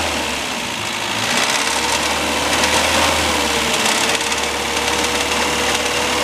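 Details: Classic Mini towed in for abnormal engine noise: the engine runs with a busy, clattery mechanical rattle over a steady hum, rough and uneven; cause not yet identified.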